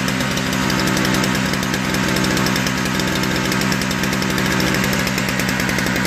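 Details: Toro 38602 Snow Commander snowblower engine after replacing the primer bulb: steady, buzzy speed with an even beat and no stumbling or surging; running normally.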